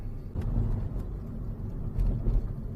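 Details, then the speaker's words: Manual-transmission Mazda driven over bumps after the exhaust heat shield was trimmed: low, dull road rumble with soft thumps and no metallic rattle; the rattle was later traced to the rear bumper with worn clips. "个异响没了。这个异响我动哪了呢？是排气管啊，是排气管上面有个护罩，这个护罩啊碰上面有一个隔热板，之后它因为它太破了，我把它这个隔热板呢给它用剪子给它裁掉了。"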